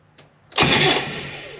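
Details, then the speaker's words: 1991 Land Rover Defender 90 with Turner Engineering remanufactured 200TDI diesel, before first start: short click then starter whirs and spins the engine freely, no grinding; normal cranking after a corroded relay was fixed, so the electrical system is fine. "so she's turning over so the electrical system is fine"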